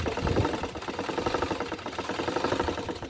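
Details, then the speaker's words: Portable sewing machine with original parts, after repair: quick, light, even mechanical patter with no grinding, binding or heavy knock; it runs freely and very quietly. "Ito, tahimik na tahimik. Kaya nga. Na, Hindi siya maingay, original pong parts nito na."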